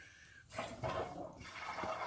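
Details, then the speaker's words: Water heater supply line refilling after a leaking faucet was replaced with a ball valve on SharkBite fittings: a steady rush of water with no hissing or spitting at the connection. The new valve seals fine. "So we can just let the water tank fill up, and then we'll see how the connection is down here."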